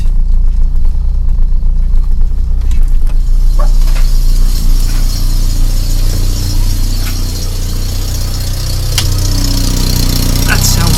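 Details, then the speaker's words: 1994 Volvo 480 2.0 ES under restoration, started on a boost starter, at idle: deep, uneven rumble with a chuffing rattle; a large exhaust leak, suspected at the bracket the owner was worried about. "me like we have got a Monumental exhaust flow unfortunately coming from that that bracket that I was worried about"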